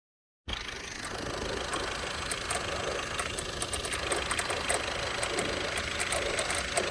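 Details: VW 1.6 TDI (Touran/Golf/Polo) diesel at idle: an uneven, rapid ticking and chirping, about three to four per second, rides over the engine from the worn accessory belt tensioner pulley.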